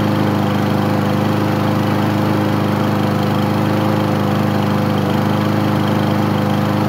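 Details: Craftsman lawn mower, first start after 9 months of storage: small single-cylinder engine running at a steady but somewhat uneven, rough beat and smoking heavily; owner says it needs an air filter.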